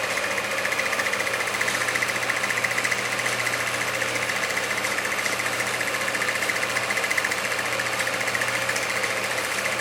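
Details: 1946 Victor model 40B projector being restored: it was gummed up and freed by oiling. Steady, even mechanical clatter at about two beats per second with a light high chatter. Running smoothly: normal running.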